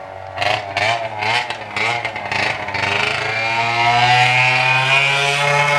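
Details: Arctic Cat ZL600 EFI snowmobile two-stroke, run with muffler removed: very loud raw blipping unevenly, then flat drone climbing only slowly; engine bogs and won't rev out cleanly, suspected leaking intake boots.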